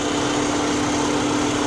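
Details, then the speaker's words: Salvage car with a 2.5 L engine, possibly a turbo TDI type: steady, even idle with a smooth hum and no knocks, misses or ticks; runs like a sewing machine, a healthy engine. "listen to her runs like a sewing machine guys"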